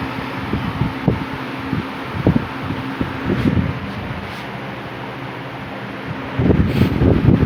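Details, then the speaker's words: 1950s Wizard 6JC3020 20-inch box fan with a 4.0 amp motor, before restoration, on high speed: steady low whoosh with an even motor hum and no growl, rattle or humming. The motor runs strong and healthy. "Fan is very powerful. It's good. Motor's good and strong to it. Good and strong. There's no humming or anything like that, so that's"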